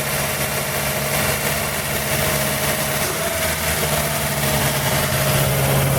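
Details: 1940 Buick straight-eight, first start in 30 years after unsticking the engine and a valve job (leak-down showed good rings), valve cover back on: steady, fast, even idle with constant drone, sitting high; oil smoke burning off manifold.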